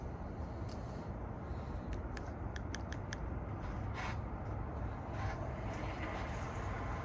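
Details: 2021 Ford F-150 PowerBoost, remote cold start at about −23 °C, idling in Park: steady coarse cavitating/grinding rumble with faint ticks on top; noise goes away in Reverse or Drive and returns slightly in Park; cause unclear.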